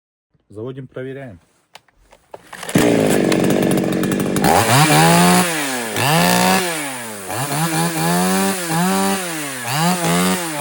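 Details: Foresta chainsaw that would not start, after replacing the worn, loose carburetor needle rocker and all the membranes: it catches after a few pulls, then revs up and down cleanly with no stumbling, running normally.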